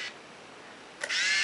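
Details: Yashica T4 Super D 35mm point-and-shoot with Zeiss 35mm f3.5 lens, functional test, flash on: short high-pitched flash-charging whine, then a quick shutter click; flash and shutter work normally.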